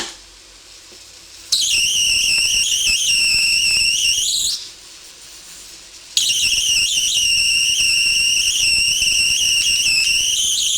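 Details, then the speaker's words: Homemade high-voltage power supply arcing from a sharp carbon positive electrode to an aluminum disc negative, cooling fans on; piercing very loud high-pitched buzzing in two long bursts; normal spark gap arcing. "the sound is very annoying from the spark really high pitch and very loud"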